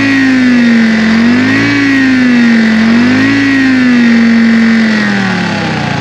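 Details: 1960 John Deere 440 backhoe with supercharged 2-53 Detroit two-stroke diesel, seized after years sitting, now running: loud steady drone, strong blower whine rising and falling with throttle; good oil pressure, normal running.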